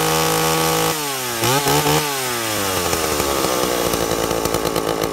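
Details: 2-stroke chainsaw with an impulse diaphragm carburettor, tuned by ear with the high jet set slightly rich. Revs drop and settle into a steady, full-throated snarl as the chain bites wood. Carb tune correct under load.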